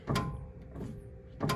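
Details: Ford Super Duty front end inspection, wheel rocked by hand: two dull clunks about 1.4 seconds apart, a worn, loose drag link end knocking in its socket; outer tie rods also slated for replacement.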